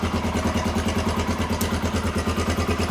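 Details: 1993 Honda XR250L dual-sport single-cylinder, running again after sitting two years and a battery swap: even, steady thump at about three beats a second with no misses or stray knocks; normal clean idle.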